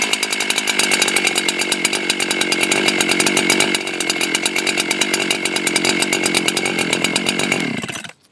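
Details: Husqvarna 371XP chainsaw after new cylinder kit replacing a scored cylinder: fires and holds fast even two-stroke buzz without misses or sputter, then shuts off; running normally after rebuild.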